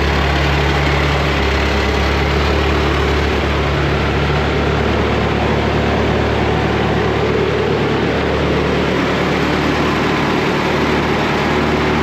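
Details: Woodmizer LT70 sawmill, Caterpillar-badged Perkins 2.2 four-cylinder diesel, sat for years, first start after bleeding old fuel. Smooth, even low rumble at steady idle, no knocks, firing on all four; normal idle.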